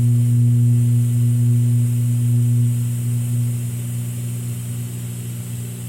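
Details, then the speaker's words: Realistic SCT-34 cassette deck, left channel: steady low mains-type hum with a buzzy edge whenever powered, slowly fading over seconds as it fixes itself; owner suspects a dirty record-play switch or a reforming capacitor. "whenever you apply power of any sort you get this hum and it's not a really wicked AC hum either"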